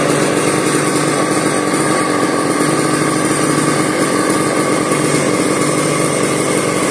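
Steady, even high-pitched two-stroke buzz holding constant speed throughout with no misses or surging; the saw is running normally.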